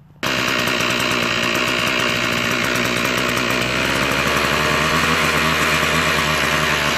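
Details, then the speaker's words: Toro 51976 25cc two-stroke straight-shaft trimmer, after replacing brittle fuel line and repairing the recoil starter, fires first pull and holds a steady high buzz rising slightly; runs well. "That's all it was, man. It's amazing, huh?"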